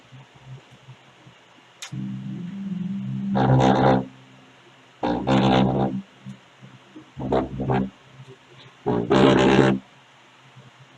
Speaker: aí gente isso aqui é um probleminha que dá para você mesmo resolver em casa sem precisar levar freio eletrônica aí quando tá fazendo esse barulho muita gente já acha logo Ah o alto-falante que tá ruim que tá batendo e não é